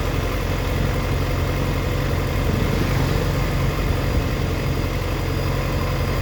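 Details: 2004 Yamaha FZ6 (immobiliser eliminator fitted): uneven, lumpy idle with irregular dips and stumbling low thump, dipping as low as 970 rpm versus 1260-1320 rpm spec when warm; owner suspects a bad ignition coil.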